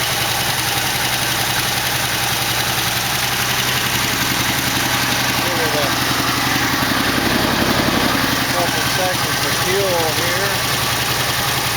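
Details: 1968 AMX, 401 V8 (was 360 Go Pack), first start after carb work, one side said to sound pretty good: uneven lumpy idle with light rapid ticking over exhaust; a lifter was later found worn through with a hole in its bottom.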